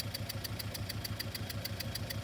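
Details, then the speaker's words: Car at steady idle, noise located with microphone and ignition trigger on a scope: sharp even ticks about seven per second, in time with the engine, pinned to cylinder three. "this is a quick setup to find a noise just two channels a microphone and a trigger and we definitely see something here that's abnormal"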